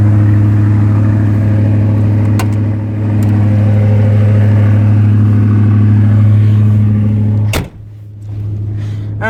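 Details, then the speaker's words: 1985 Ford Thunderbird, about 80,000 miles, cold start: steady deep drone idling fast at one speed, owner guesses 1200–1500 rpm, lasting roughly 5 minutes; cause unknown; small hole in muffler. "Now, one of the problems is when you first start it cold, it idles high for roughly 5 minutes, I guess."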